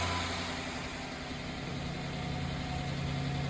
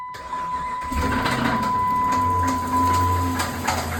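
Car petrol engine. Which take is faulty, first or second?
second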